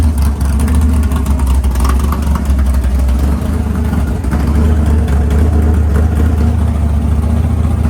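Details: Freshly built 500ci big-block Mopar in a 1969 Barracuda, first start in the car: idle lowered to about 1000 rpm, deep lumpy rumble with choppy cam beat; normal healthy idle.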